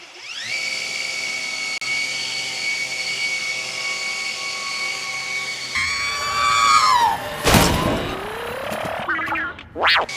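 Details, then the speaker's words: Revised Maxflow MPro 25 pressure washer, ramp-up about 1.75 s, ramp-down about 13.4 s: steady motor hum cuts off, then a high squeal slides down in pitch as it coasts to a stop; bad motor squeal on ramp-down. "But you hear that squeal? Oh my gosh, that's so bad."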